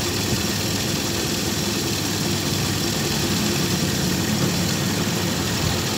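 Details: Carbureted vehicle that was hard starting and misfiring, after the carburetor was cleaned and a gasket kit fitted: a steady, even engine hum with no dropouts or stumbles over several seconds, idling smoothly with no sign of misfire.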